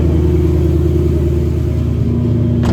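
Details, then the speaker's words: 2018 Mustang GT with a brand-new engine at 3,940 miles, JLT intake and X-pipe, no check-engine lights: a deep, steady, smooth V8 idle with no ticks or knocks; healthy. "gas light is on it's a J fuel economy go gauges no check engine lights good to go sounds nice and smooth"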